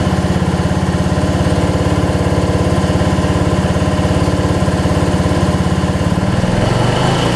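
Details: Weed Eater riding mower, 16.5 hp Briggs, after carb bowl check and fuel solenoid confirmed working: fast, regular single-cylinder putter at steady speed, no stumbles or cutting out; runs normally.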